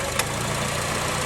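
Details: Vehicle on a cold day about 26 °F, idling with heat on after power steering fluid top-up during a noisy power-steering belt fix: steady, even idle hum with no knocks, whine or squeal; sounds very good.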